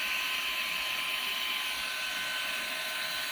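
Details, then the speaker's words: Perrysmith vacuum motor after cleaning out the hair that kept jamming it, drilling the housing and adjusting the rear bearing; a high, steady jet-like whine with no rattle or speed dips. The motor runs freely and normally. "memang macam jet eh vakum ni."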